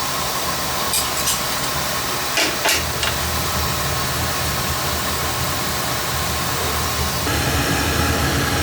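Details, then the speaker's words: Oil-fired boiler during service, fired up after nozzle change with air band cut back and good draft confirmed: steady, even flame roar with no pulsing or rumble, few light taps, could take slightly more air; normal burner operation. "Looking fine in there actually. If anything, I could give it a little bit more air."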